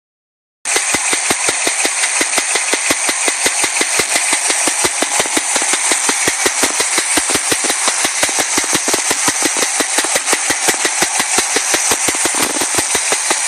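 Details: Chevy Nova V8 running, sharp even knocks nearly three per second from the top end, appearing after a drive around the block; owner suspects a stuck lifter.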